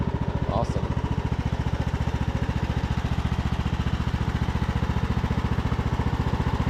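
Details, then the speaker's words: Craftsman YT3000 riding mower abandoned four years, revived with fuel dribbled into the cylinder: steady even putt-putt at about two beats a second, no squeal or rattle from the pulleys. Normal idle. "e sounds good to me I don't hear anything pulley sound good"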